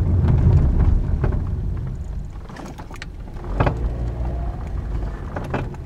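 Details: 2009 Toyota Corolla with 189k miles: dull clunks from underneath at start and stop over road rumble; CV joint replaced a year earlier; owner suspects bad sway bar link (Delphi TC1455), replaced; sway bar link clunk.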